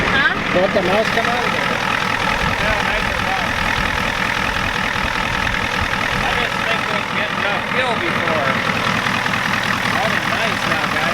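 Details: 1993 Ford F-250 7.3 IDI diesel idling after the injection pump was turned up: even, unbroken clatter over background voices and noise, no misses or stumbles; sounds better, burning a little oil.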